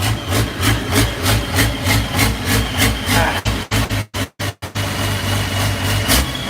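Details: Unmuffled diesel in the Challenger idling with an uneven lope, loud pulses about every 0.6 seconds rising and falling; starting fluid sprayed around the injectors suggests one injector is leaking and sucking in air, causing rough idle.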